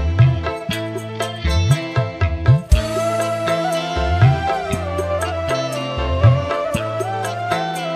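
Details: Polytron PAS 68 active speaker that shut itself off after about 15 minutes once hot, after repair: music with firm low-end beat and clear vocals, no distortion, rattle or hoarse breakup; earlier raspy midrange gone, normal playback.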